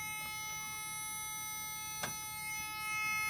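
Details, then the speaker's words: LS-swapped DMC DeLorean during wiring work, key on: steady high-pitched electronic buzz holding unchanged; warning buzzer sounding after the car moved and beeped, possibly the Lambda buzzer, source unconfirmed. "Why is that buzzer going off? I don't know. It's for safety. Just let you know. What is that buzzer? It's just a buzzer. It's annoying."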